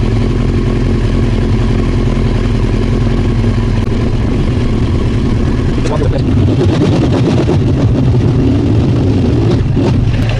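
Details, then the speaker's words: Old Honda CBR900 Fireblade with the fuel tap off: even idle turns ragged, stumbling and faltering as it runs dry of fuel; mechanic suspects the customer's backfiring came from too little fuel on the 'on' position. "there's that sort of noise that you get when you run out of fuel. So we know it's going to die, so let's just switch it to on and see if it..."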